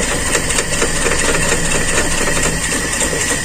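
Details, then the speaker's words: Carbureted Toyota Kijang limping and shaking badly; uneven idle with a loose stumbling beat of about two pulses a second, cylinder one not firing, caused by a torn vacuum hose on the intake. "alhamdulillahirobbilalamin sudah ketemu teman jalur selang Bakung di intake"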